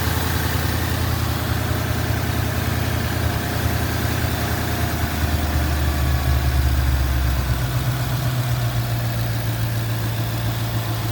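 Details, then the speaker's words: Ford Mustang GT V8 after bearing replacement to cure a knock: steady, even low idle rumble with no knocking or tapping, running healthy, though the radiator leaks water. "So, this will be the end of the video. The motor sounds good."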